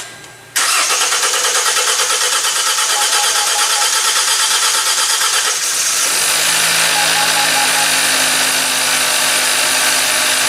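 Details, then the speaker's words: Hyundai Elantra GT intermittent no-start recreated with a scope on the crank and intake and exhaust cam sensors: engine cranks evenly for about five seconds but won't start; cause under analysis. "okay so it happened to us let's just analyze this if we can analyze something in here right um we know our engine was turning"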